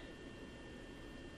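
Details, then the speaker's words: Impressions Vanity Hollywood Glow Pro LED vanity mirror while lit; faint, steady high buzz against room hiss, a slight buzzing that is not loud. "it has like a slight buzzing sound but it's not loud a lot of people have complained about that"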